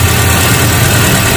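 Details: 2001 Hyundai Atoz GLS, pre-trip check, started after sitting two days, listening for uneven rhythm: steady low, even idle hum without stumbles or dropouts; smooth on all cylinders, no misfire (which would point to plugs, coil or plug wires).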